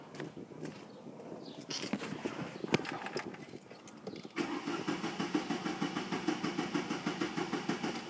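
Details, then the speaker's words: Chevy C1 pickup, throttle-body fuel injection, with the crankshaft position sensor connector deliberately unplugged: steady starter cranking at about three beats a second that never catches, since the computer gets no rotation signal and sends no coil or injector signals; crank, no start. "así podemos estarle dando marcha hasta que se acabe y nunca va a encender"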